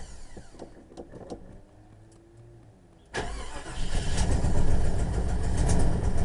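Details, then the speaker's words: 1989 Jeep Grand Wagoneer genuine cold start: brief crank, then a lumpy galloping idle with a dead miss, and it's flooded. Vacuum lines were recently fixed; owner blames an exhaust manifold hole/leak and a rear spark plug. Misfire on cold start. "galloping. It's flooded, too. But it doesn't seem to be doing that bad today since he got them vacuum lines fixed."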